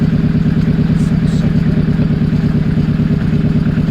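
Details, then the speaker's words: Nissan Pulsar GTiR SR20DET after timing attempt and fuel filter change, warming up: steady even idle about three pulses a second, less lumpy than before; slight shake blamed on old engine mounts. "Now, I tell you what. It doesn't sound as lumpy. It doesn't. Does it feel as shaky inside? Probably a little bit."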